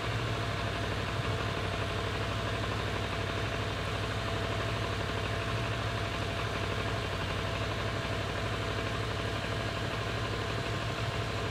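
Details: Kawasaki ER6-n twin, completely warmed up after 30 minutes of driving, idling stationary: low, uneven throb with slightly irregular beats that won't settle; unstable idle, owner suspects a misfire.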